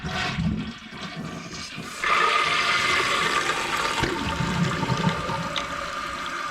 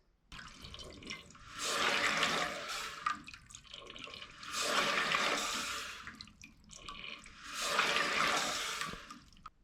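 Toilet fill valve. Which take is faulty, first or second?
second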